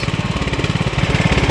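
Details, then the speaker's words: 2003 LT1000 riding mower, engine warm, at idle: a fast, regular chuffing pulse of about fourteen beats a second. Owner suspects a leaking head gasket acting up when warm; the breather was also found broken. "Yeah, it might be the head gasket making that sound. See how it's like, yeah, that sounds like the head gasket. It's acting up because it got warm."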